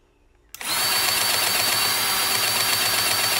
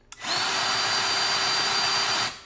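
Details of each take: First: Milwaukee M18 cordless grease gun after a cartridge change and priming: steady high-pitched motor whine with an even pulsing about four times a second, the popping sound showing it is now pumping grease. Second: Milwaukee M18 grease gun; smooth steady motor hum with none of the normal tick-tick pumping clicks, spinning dry without pumping grease on an empty cartridge, which needs changing.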